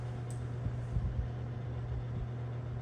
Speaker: decent Breeze but that rattle is that sound or humies is really just a grill